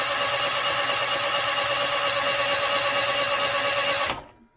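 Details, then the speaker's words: 1989 Austin Mini Designer, 998cc A-series engine, unrun for about three years, cranking on a freshly charged battery with the plugs removed before a compression test. Quick even whirr with no drag. Normal cranking. "so that all seems to be spinning over nicely there was a bit of oil came out which was good"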